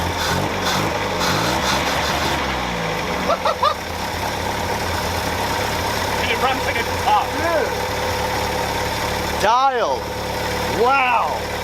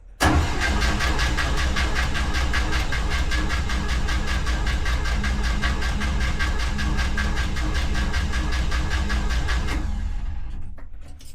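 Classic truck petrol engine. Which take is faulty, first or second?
second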